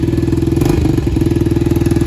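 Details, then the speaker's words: Yamaha TTR-90 after carb cleaning, a head job, a new petcock and an added fuel filter: quick, even single-cylinder putter holding a steady beat with no misses or knocks, a healthy normal idle. "so i replaced the petcock and i put a fuel filter in there so why not and now it runs like a champ starts right up runs great super fun to ride"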